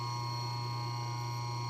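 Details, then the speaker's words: Restored GE 1/6 hp wound-rotor induction motor running on a Variac at its rated 110 V, sitting on a Lazy Susan that may add slight vibration. A steady low hum with a clean high tone, smooth with no knocks or rubbing: healthy. "Oh, doesn't that sound beautiful? Look how smooth that is."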